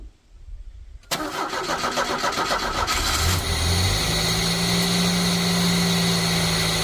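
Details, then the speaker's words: 1989 Chevy S10 pickup, 2.5 four-cylinder, first start after sitting, fresh battery, air cleaner off: brief crank, then catches cleanly into a steady, even, noisy idle; starts and runs normally. "fired right up. It's pretty noisy cuz I don't have the air cleaner on there."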